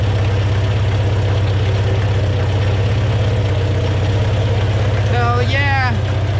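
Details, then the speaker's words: Volvo B20 engine started on fresh fuel after years of sitting, carb float bowls refilled and O-rings replaced: steady low idle with a slightly uneven, lumpy beat, running but not healthy; exhaust fairly clear, smoking a bit. Rough running. "all right that's enough i think woohoo not the healthiest of engines but it is running"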